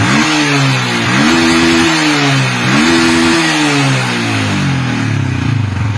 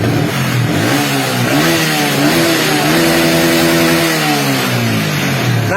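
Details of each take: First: Yamaha Vixion motorcycle with a weak battery and dead lights: engine blips up and falls back three times; charging reads about 12.8 V at idle but drops when revved, faulty voltage regulator. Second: Yamaha Vixion motorcycle that previously bogged and stuttered with the lights on, after repair, started with a weak battery: revs up and down cleanly with lights on, no bogging or stutter; normal revving, charging system (stator and rectifier) checked.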